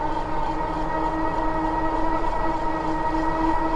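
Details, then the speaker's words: Magicycle Cruiser fat-tire e-bike, 750W rear hub, 52V 15Ah battery, climbing a long hill throttle-only at 6% battery drawing about 880W: steady high squeal over motor and wind. The brakes are rubbing, need adjustment, and are possibly hurting range. "these brakes are so loud though i need to adjust them can you hear them rubbing probably hurting my mileage with the brakes rubbing right"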